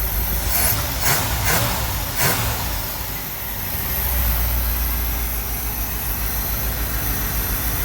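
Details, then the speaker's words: 1964 Cadillac DeVille convertible, before any timing or adjustment: even, steady idle with a soft regular pulse, much less vibration, no shake or miss; sounds much better, loud fan. "So this sounds so much better. It's amazing."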